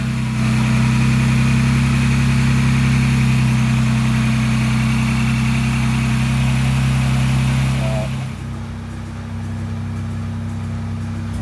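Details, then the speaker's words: 2022 Ford Bronco Raptor just started after Whipple charge air cooler installation, no warnings popping up: steady even idle, smooth low rumble, no misfire, settling a little quieter; engine running fine. "nothing's mad that we know of popping up getting ready to close the hood"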